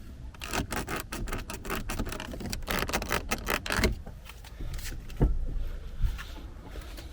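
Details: 2019 Skoda Kodiaq 1.4 TSI, 150 hp, AWD, manual, 17,500 km: quick dry plastic creaks and clicks as the interior door grab handle is squeezed by hand. This is the annoying creak.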